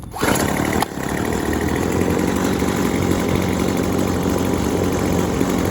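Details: Yardworks 25cc trimmer with a new carburetor, being adjusted on its low and high jets with the cutting end back on: it catches after a short blip and holds a steady, smooth buzz without popping or surging. Running properly.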